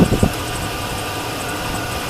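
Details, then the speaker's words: 2003 GMC Sierra SLT with a 5.3 liter V8 and 226,715 miles, bought at auction, idling: steady, even low rumble with no knocks or misses; it idles smoothly and sounds healthy. "This is the 5.3 liter V8 engine. So there is a lot of life left in the engine. I'm going to pop the hood here. We'll take a look at that engine. And there you go. It runs off pretty good."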